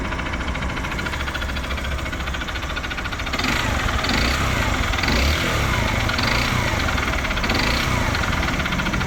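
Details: 2014 Honda Bros 150 single-cylinder at idle, not losing oil: a loose, uneven knocking at about three per second.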